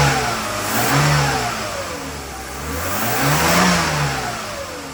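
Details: Classic Mercedes M104 engine start after replacing valve cover and timing cover gaskets, oil level sensor, drain plug, and 7-quart oil change: catches cleanly, revs twice, rising and falling smoothly, no knocks, ticks or misses; runs healthy.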